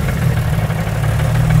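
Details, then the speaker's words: 2JZ-GTE turbo six in a Mercedes SL500 swap, idling; lumpy stumbling idle. A noid light shows no injector signal to cylinders 1 and 2, the computer is blamed, and crankcase pressure blew the front engine seal. Misfire from faulty ECU. "we're not getting that on the first two no signal to fire so I plug it into one and two nothing no signal to fire that's our problem right there"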